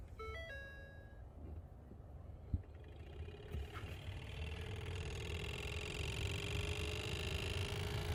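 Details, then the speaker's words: 2015 Ford Fusion base model heater blower motor, before replacement: after a dash chime the fan spins up into a loud rushing drone with a whirring tone on top; noisy blower, dealer claimed it was normal. "that has to be one of the most annoying sounds i think i've ever heard just and they told me that that's the way it's supposed to sound"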